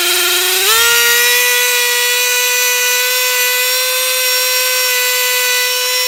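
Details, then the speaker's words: Traxxas T-Maxx RC truck with replacement engine: after puttering it jumps to a shrill steady full-revs scream with no throttle (runaway high idle); owner suspects air bubbles in the fuel line, mixture set 3.5 turns, idle screw adjusted. "so yeah it just sits there and screams and I don't know what to do I mean it seems like the fuel line is getting air bubbles in it"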